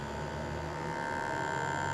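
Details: 12 V inverter droning with a steady electrical hum and a mid-pitched tone from its transformer; the fix is a 474 ceramic capacitor (250 V) across the 110/220 V transformer output, after which it runs silent.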